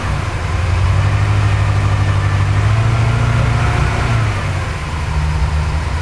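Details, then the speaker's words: Porsche 928 after turning the mixture screw about a quarter turn or less: uneven idle that wavers and sags, weak when revs are raised and all over the place; still rough, owner will check the timing. "a little bit weak because I picked the revs up it's sort of all over the place"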